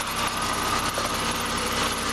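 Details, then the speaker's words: Chevy Cavalier that has sat a long time in freezing cold and needs a tune-up, with a random miss when warm: a thin steady squeal over a rough idle, suspected to come from the power steering pump pulley. "few could hear hey that it's got a squeaky squeaky Foley"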